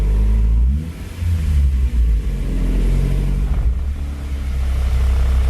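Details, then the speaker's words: Freshly rebuilt JDM B18C Type R engine swapped into 2000 Civic Si (EM1), initial break-in at low rpm on conventional oil, good vacuum: steady low rumble, smooth even idle, no knocks or ticks; normal idle. "So the motor sounds good."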